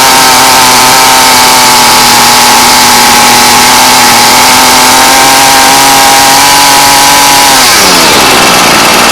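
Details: Ryobi weed eater after fuel line replacement: small two-stroke screams at a steady high pitch under held throttle, holds speed evenly, then winds down cleanly when released; running properly.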